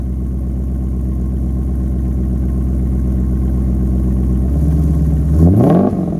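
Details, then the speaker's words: C5 Corvette spec race car with catless H-pipe and newly fitted Holley Flowtech 11145FLT axle-back exhaust: deep, even V8 burble at idle, then a quick clean rev climbing and dropping back smoothly; sounds much better than the bare H-pipe. "What a difference. The car sounds good again, and I'm super stoked about that."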